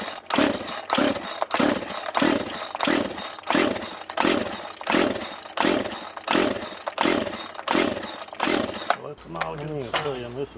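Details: Used Husqvarna 142 two-stroke chainsaw bought as-is, first run attempt after the AV mount screws were refitted: it surges in choppy bursts about every two-thirds of a second and never settles. It runs rough; the owner doubts the spark plug fitted, but the cause is unconfirmed.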